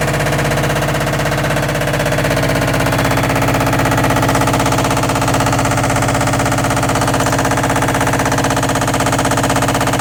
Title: All in one washer dryer combo making very loud noise only during spin cycle.